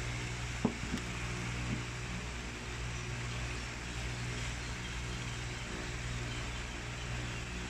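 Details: Eureka stand fan, which had weakened, after general cleaning and maintenance: a steady low motor hum with a soft, even whir and no rattle or drag. It spins up to normal speed and is working again.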